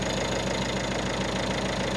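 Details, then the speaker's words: Peugeot Expert diesel van idling after DIY cambelt change and service (owner links quieter running to an issue found at the water pump): steady, even soft low rumble with no ticking or knocking; not bad whatsoever, normal idle. "Yeah, that's not bad whatsoever."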